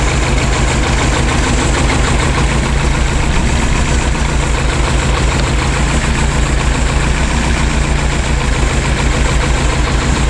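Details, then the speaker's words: Lotus Esprit S3, before tuning: loud lumpy low idle with an uneven beat; pulling one pair of plug leads nearly killed the engine and the other changed little, so one carburettor does all the work; rough idle from carburettor imbalance. "when we took off these the engine nearly died yeah because this carburetor is doing all the work and this one is doing nothing yeah"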